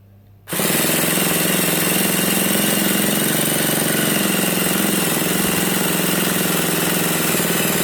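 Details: Nitro RC car, primed beforehand: the starter gives a steady, fast buzzing crank that spins the small engine for seconds, but it never fires or catches. Cranks, no start.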